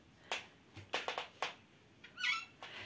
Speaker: , diese Küchentür knarrt, und jetzt wissen Sie alle sehr gut, dass wir normalerweise Butter und Margarine verwenden, um so etwas zu lösen,